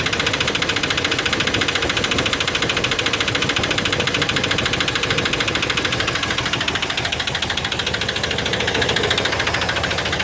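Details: Chevy 350 5.7L after intake manifold gasket replacement: sharp even metallic valvetrain ticking about 3.5 per second over steady idle, caused by low lubrication.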